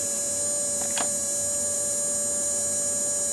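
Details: Polaroid Polar Pulse flat alkaline flashlight battery from about 1997, found dead, being recharged for about an hour, surface voltage 7.41 V: steady electric buzz with a fixed high tone, relay pulse charger chattering normally while charging.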